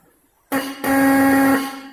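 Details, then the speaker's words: Bike electric horn after loosening its adjustment screw to retune it: clean, steady single-pitched honk about one second long, strong and even with no rasp or buzz; tone now correct. "लगभग आवाज़ इसका सही हो चला है। आप इसी तरह आप देखिए दोस्तों, मेरे हिसाब से ये आवाज़ सही हो गया इसका।"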